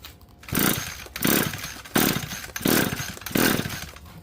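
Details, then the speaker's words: Curb-found Echo SRM-2320T trimmer, ignition off, compression gauge fitted. Five even pull-start bursts about 0.7 s apart, each with a firm compression chug, reading roughly 110–120. Good compression on cranking. "So 5 pulls, I would say roughly in the neighborhood of 110, about 120. So I'll try that one more time. That's pretty good compression, actually."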